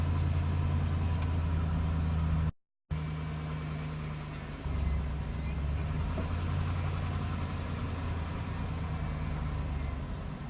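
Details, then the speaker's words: 2001 Chevy Silverado 1500 Z71, 4.8 V8, cold start at about 36 degrees: low, uneven idle with a shift partway through. Happens on every cold start for about a month and a half and is normal once warm; cause unknown. Rough cold idle. "2001 Chevy Silverado I've been having problems on a coach start where it has a like a rough idle I guess usually does it every time I started to code after that yeah when it warms up it goes back to normal"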